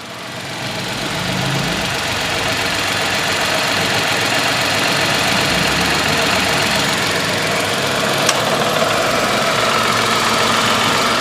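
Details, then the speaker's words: Tata Altroz 1.2L three-cylinder petrol, idling about 800 rpm, AC switched on about 10 seconds after start: steady idle hum with slight load rise as compressor engages, no knocks or squeal; running normally. "இப்போ பார்த்தீங்கன்னா ஒரு 800 RPMல வந்து AC வந்து on ஆகிருக்கு. So compressor வந்து லோடாகி ஓடிட்டுருக்கு."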